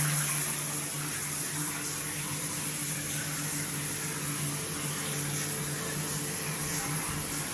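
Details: Multifunction shower system with poor overall flow: a steady low hum under running water, with slight vibration at the shower valve when the body jet function is used; cause unknown.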